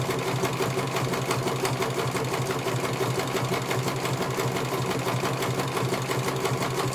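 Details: CNY computer embroidery machine in for service; at first its motor (dinamo) would not turn at all and the bobbin case was missing. Quick, even needle clatter at about three stitches a second over a smooth motor hum as it finishes one colour; normal stitching, judged very good.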